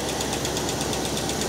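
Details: 1969 Cadillac Eldorado V8 with 21,000 original miles, first start after about 20 years with the fuel pump hooked up, no brake clean needed: steady, even rumble with no rise or fall; idles smoothly.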